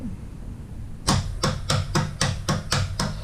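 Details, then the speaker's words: 2005 Arctic Cat 400 4x4 FIS ATV, new replacement starter relay/solenoid bench-tested, both polarities, after the rusty original failed to click: string of crisp sharp clicks about three a second in a quiet room; relay switches cleanly, good. "See? Hear it click. We'll reverse it. And again, you can hear it click."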